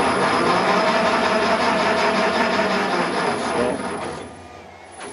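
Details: Raglan 5" lathe on a generic AT1-style inverter, running at 50 Hz from a new remote and then stopped: steady, even motor whir with a light hiss that winds down toward the end. Runs smoothly and sounds healthy.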